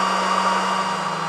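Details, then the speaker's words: ISDT FD-100 discharger with its fan, discharging a battery pack with current dropped to 4.2 amps and still falling. The fan has sped up to an extremely loud, steady roar with no rattle or scrape: normal full-speed cooling. "Okay, so I'm not sure if you can hear me, but the fan is sped up significantly. It's extremely loud now."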